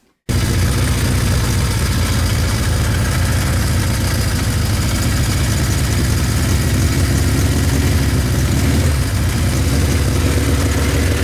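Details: Revived Kawasaki Z1 four-cylinder with carb mixture richened; deep, lumpy uneven idle sounding like it's running on three cylinders; cause suspected, not confirmed.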